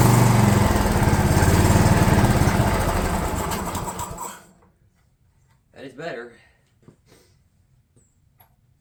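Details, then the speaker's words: DR all-terrain mower with Kawasaki FV420V engine, revived after sitting for years; carburetor jets cleaned with brake parts cleaner in place. Even, fast single-cylinder putter for four seconds before shutdown, with no stumbling or surging. Normal running. "well I think that's good [Applause] all right well that's just a Kawasaki engine for you they don't care they just run"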